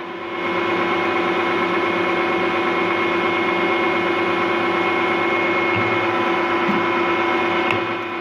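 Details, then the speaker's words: Refurbished Harrison M250 lathe, 0.9 kW motor on a 1.1 kW inverter: steady, even hum with a clean mid tone, no knocks, rattles or grinding; smooth, quiet normal running. "machine nice and smooth nice and quiet"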